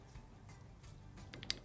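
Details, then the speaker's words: Yamaha Virago XV535 crank after removing the seized plain bearing, crank rocked by hand: three light metallic clacks, normal big end side play against the crank webbing, nothing worn. "can you hear that that's a bit of free play on the end of the big end bearings against the crank webbing"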